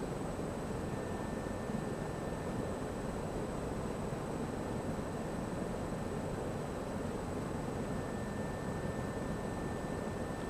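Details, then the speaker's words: Sturtevant Size 8 Design 5 propeller fan, oil-wick bearings freshly oiled, first run in maybe 30 years, 50% speed because loosely supported on a crane; steady even air rush, faint hum, no knocks or rubbing; running smoothly. "This will be a 50% speed run because it's not so well supported on the crane."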